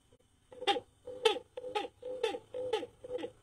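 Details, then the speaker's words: Electric fan with rough noise: rhythmic squeaky chirp about twice a second matching blade rotation; worn shaft bushing/bearing, not the motor winding, fixed by replacing the bushing. "Jadi kalau kipas Anda bunyi Kakak Kikik Kakak Kikik itu bukan masalah dinamo ya bukan dinamo anda yang rusak"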